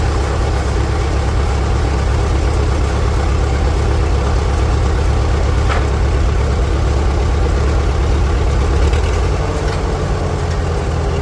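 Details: 1946 International Harvester Farmall H, in neutral after a pushrod replacement and deep cleaning, with a low battery: steady low chugging with an even beat throughout and no knocks, misses or rattles; normal, healthy idle.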